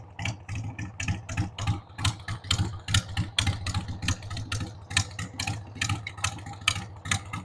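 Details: 1993 Harley-Davidson Sportster 883 Evo V-twin, stored about 15 years, just started on starting fluid with a dead battery: an unsteady, loping idle, about one stumble a second with loud and soft beats. The owner says the carb needs cleaning.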